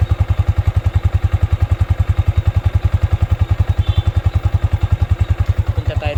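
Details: Yamaha Sniper 155 VVA motorcycle, seven months old, at idle. Even, rapid low thumping at about nine beats a second, steady and unbroken, with no knocks or ticks: a clean, healthy idle.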